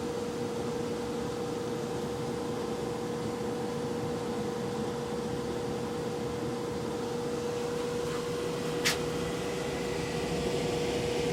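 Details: Brand-new Venmar EA-1500 air exchanger, just installed, with a steady clear hum near 500 Hz over soft airflow that carries through the whole house, audible even with headphones on.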